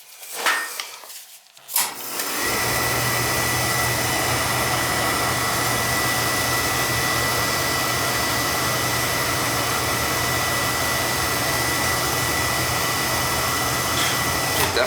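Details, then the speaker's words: Beckett oil burner tripping its reset every day or so, restarted: ignition clicks, then a steady rushing roar with low rumble; flame sounds choked by a dirty, crusty, wet boiler restricting draft, needs cleaning. "choked he's a good clean and that's for sure by cleaning he's looking dirty wanting to breathe so well I'm gonna have to give this thing a good good cleaning"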